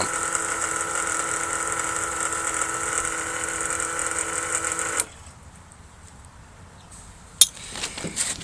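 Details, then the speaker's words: Holley Blue electric fuel pump bench-tested, previously thought dead until disassembled and reassembled; steady high whir with thin buzz for five seconds then stops, pumping a decent fuel stream; running normally. "you can hear the pump running I'm pretty happy about this"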